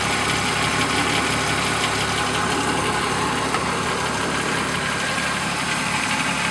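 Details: BMW E36 M3 S52 idle: light, busy metallic rattle over the engine note, louder from underneath at the front of the motor; timing chain suspected, unconfirmed.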